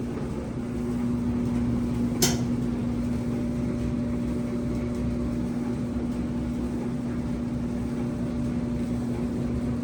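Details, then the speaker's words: Old free Maytag dryer running on a 20-minute cycle after reassembly: a steady drum rumble with a constant low hum and one sharp click early on; the owner finds the noise unfamiliar and the heat weak, cause undetermined. "I've never heard that before let me just finally working I don't know it sounds scary it's not getting hot like he used to"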